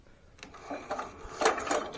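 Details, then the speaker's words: 1960s Bolens Suburban 26 lawnmower, pulled over with spark tester fitted: no firing, light scrape once per turn as the weak ignition coil, at its farthest adjustment, hits the flywheel magnet; no spark. "Ugh, not good noises. I can hear it hit that magnet every time."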